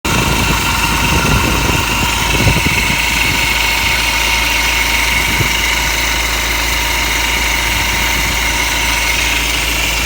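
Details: BMW 1 Series E87 M Sport with a 2.0 N47 177bhp diesel at idle: a busy metallic chatter over the steady idle with no clear knock rhythm; timing chain rattle is suspected, not confirmed.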